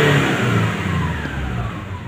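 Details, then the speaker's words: Nissan Navara diesel with a cold engine revving: smooth and even, no roughness or knocking; fuel pressure normal, about 30 MPa at idle (750) and 100 MPa at 4000 rpm. It turns rough and smoky only when hot, suspected EGR problem. "pada saat mesin Masih dingin suara halus dan tekanan bahan bakar juga normal"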